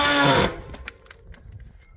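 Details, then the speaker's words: Mountain bike disc brake while riding: loud high-pitched howl for about half a second while braking, then it cuts off. "And then we can try to hear that it makes such a terrible noise."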